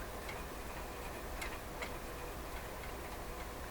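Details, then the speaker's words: PYE 39HC shortwave receiver, pointer being aligned with the tuning capacitor fully closed: faint dry ticks as the dial pointer hits a mechanical limit, after which the dial string slips. "Okay, so what's happening is it's bumping into, it's hitting a mechanical limit here. It's bumping into something."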